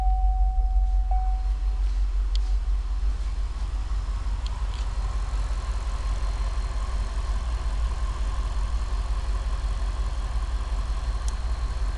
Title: Cadillac STS Diagnostics The problem was bad rings causing the misfire